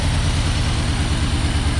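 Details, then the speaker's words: 1990 Ford Ranger with a new remanufactured long block, cold engine with throttle input: uneven lumpy idle with missing pulses and heavy shaking, at least one cylinder dropped, worsening with revs toward stalling; misfire. "when it's cold and a throttle input and it starts misfiring I don't know if you'll be able to see it and it's shaking pretty good it's dropped at least one cylinder and it gets progressively worse"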